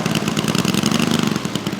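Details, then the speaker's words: Saito FG-60R3 3-cylinder gas four-stroke radial in a Legend Hobby T-28 Trojan RC plane after ground testing and break-in: even, rapid popping idle with steady beat, no misses or knocks; engine running fantastic, normal idle. "steering's pretty sensitive so I got to deal with that but otherwise engine's running fantastic"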